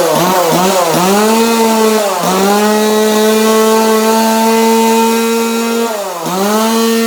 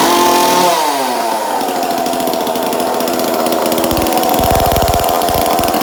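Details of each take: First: 2002 Husqvarna 136 chainsaw after new carburetor install and tune, sandblasted muffler with extra vents cut; clean steady high buzz dipping and picking up crisply with throttle blips, no hesitation or bogging; running healthy. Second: 2002 Husqvarna 136 chainsaw just fitted with a new aftermarket carburetor, air filter, fuel line and filter, high/low/idle screws not yet adjusted; after starting it buzzes fast and fluttery, idling well too high on the untuned carb.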